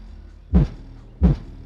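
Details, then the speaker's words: 1964 SS (64 SS) during door panel install: two deep bass thumps with a dull buzz as the door speaker, mounted too high and not latched in, vibrates and rattles against the door panel; fix is to loosen it and pull it down. "so what's going on with this rattling is my spear"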